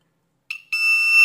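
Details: Ezion digital water level indicator meter after replacing shorted A733 transistor with A1015: short chirp, brief gap, then clean steady high-pitched beep only on proper sensor signal; normal full-tank buzzer.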